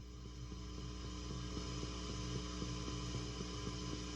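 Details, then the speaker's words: Pedals off on a daisy-chained pedal power setup into a small bass amp with pre-gain turned up: steady low mains hum with a faint chirp about four times a second, suspected from one poorly designed pedal. "So that sounds pretty noisy, and you're hearing the chirping sound, which sounds like it might be something to do with one of these pedals."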